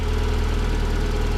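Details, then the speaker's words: Mazda Miata after new NGK spark plugs and plug wires: a steady, even, smooth idle with no misses, much better than before the fix, though a new weird ticking is noted. "Do you hear the idle? It's so much better. Weird ticking now. But the idle's so much better. It fired up way better."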